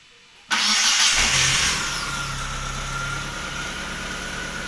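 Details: Proton Wira/Satria after servicing the starter motor, which had been going tek-tek-tek before the engine would start; brief, strong crank, then the petrol engine catches at once and settles into a steady idle.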